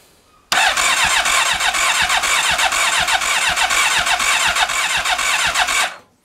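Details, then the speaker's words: Rebuilt Honda CB1300 cranks steadily at about three beats a second but never fires; no spark, though the fuel pump primes and the plug smells of fuel. Coil and pickup connectors were checked and are plugged in. "No spark. So okay, that confirms that we haven't got a spark."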